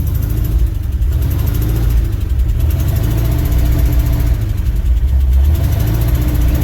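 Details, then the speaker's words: 1967 International 1200 pickup first started after about 20 years of neglect, Alaskan winter: low, lumpy idle that swells and dips about once a second with an uneven beat; rough idle, owner suspects timing is a little off. "she's fine I'm sure it'll drive timing might be a little off"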